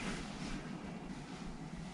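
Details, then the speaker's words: MrCool DIY mini-split indoor unit after blower motor replacement (was loud before), heat mode set to 80 degrees; soft even rush of air with no rattle, hum or squeal; blower runs quiet and smooth. "and that sounds nice to me it's not making much noise so that sounds great"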